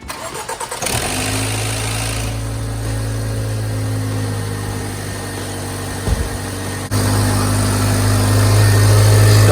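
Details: 2014 Range Rover Evoque after cooling fan control module replacement: brief crank, fires promptly, settles into a smooth steady idle that lifts slightly; healthy start.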